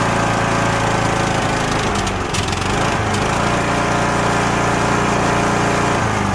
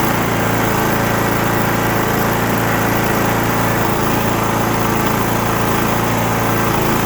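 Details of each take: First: Cub Cadet LTX1045 riding mower, Kohler Courage 20 HP, repaired about six weeks earlier, dies unless fully choked: runs rough, stumbles and pops before recovering; fuel looks orange and smells bad, likely bad fuel. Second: Cub Cadet LTX1045 riding mower, Kohler Courage 20HP twin, after draining water-contaminated bad fuel, cleaning and new fuel filter (earlier head gasket and valve work): steady, even drone, no surging or misses; runs great, normal running.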